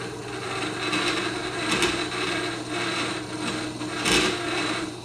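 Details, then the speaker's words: Westcott titanium scissors being sharpened on a Tormek T8 wet grinder at a steep angle, around 45°: a steady wet grinding rasp broken by harsh chattering bursts. The chatter is suspected to come from the high grinding angle; cause not confirmed. "And you hear that chattering that it's nice and grinding and then all a sudden it's I'm not sure what's causing that. probably just grinding at such a high angle."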